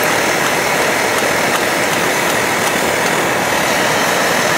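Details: Optimus Hiker Plus liquid-fuel pressurized stove at full blast, kept pumped up, blue flame; steady hissing roar with a few faint sputters as pressure builds, characteristic Optimus sputter: normal burner roar.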